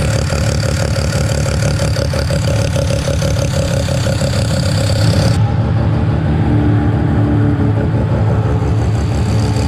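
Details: Mazda 13B rotary on EMPI IDA carburetor, after replacing the fuel regulator that wasn't holding pressure: regulator set from about 2 to 3.5 PSI while running and holding steady; steady, even idle with a smooth buzzing pulse, no stumbling or surging. Normal idle.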